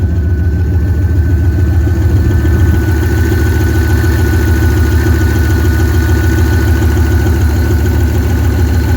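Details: 1998 Jeep Grand Cherokee 5.9 Limited V8, cold start after sitting about five years, borrowed MAP sensor fitted, many vacuum leaks: rough rapid clatter over deep idle, three to four ticks a second; owner suspects lifters clacking.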